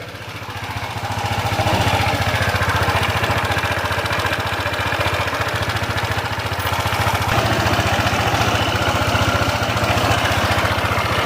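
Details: Honda ADV160 scooter at 11,046 km, idling: loud, rough chattering rattle from a worn, loose camshaft bearing.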